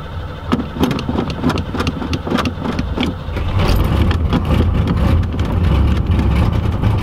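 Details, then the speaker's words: 1986 Camaro IROC-Z with 350 V8, cold weather: starter churns in uneven bursts about three seconds before it catches and runs; hard cold start, owner suspects a faulty choke or old gas. "That's a start. So I think there's something wrong with the choke on the car. It really doesn't like to start until you get it spinning quite a bit and get a whole bunch of gas into it."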